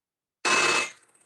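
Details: Thin workpiece machined with KOSMEK high-power clamp setup: brief even hiss of cutting with one clean steady tone, no chatter, unlike standard clamps.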